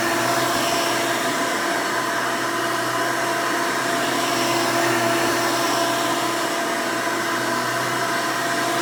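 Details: 1992 Hoover Elite II Total System Performance 650 upright vacuum (U4689-910), motor needed no work since purchase, running: loud, steady high whoosh with even motor hum, no surging or rattle; runs very nice and smooth, healthy.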